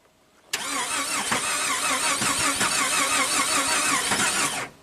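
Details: 2002 Jeep Grand Cherokee 4.0L inline-6 after engine rebuild: steady even starter cranking for about four seconds, never catches; crank signal present, no cam signal, cam position sensor out of alignment.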